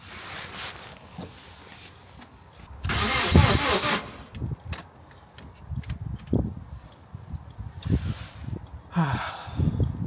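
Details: Crash-damaged salvage car with locked restraint codes: several short bursts of starter cranking with quiet gaps, engine never fires; turns over but won't start.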